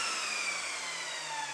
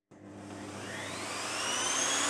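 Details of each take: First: Evolution Rage 5-S table saw, hard motor start before soft start module fitted: loud high-pitched howling roar reaching full volume almost instantly, then abrupt cut-off; harsh jumbo-jet-like start-up. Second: Evolution Rage 5-S table saw after installing a soft start module: motor whine climbs gradually to full speed over about two seconds without the previous violent kick, holds steady, then winds down; smooth soft start.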